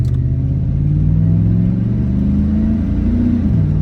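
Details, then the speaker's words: 2002 Chevrolet Silverado V8 driving, misfires traced to dirty injectors: deep V8 note rises smoothly under throttle and eases off without popping or stumbling; normal acceleration. "Uh, I just take it took it down the street and it it automatically feels like way better, bro."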